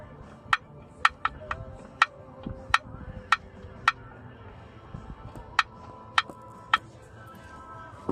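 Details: 1989 Jeep Cherokee XJ, Renix 4.6L I6, AW4 automatic: most bolts off, the last one loose. Levering the plate gives about a dozen sharp, ringing metallic pops at uneven spacing. No crack is visible and the noise depends on where it is pried; a cracked flexplate is suspected.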